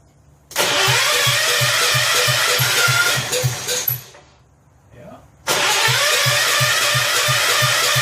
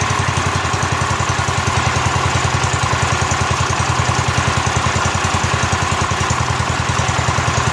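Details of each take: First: Rebuilt 10 hp Kohler K241 in a John Deere 210 garden tractor, first start with about three-quarters choke and gas poured down the carburetor: fires with quick even pops then stalls; owner later checks and sands the points. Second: Rebuilt Kohler K241 single-cylinder engine in a John Deere 210 garden tractor, first start after the rebuild with new fuel line and fuel primed into the carburetor: a steady, even thump of about three and a half beats per second. Healthy idle.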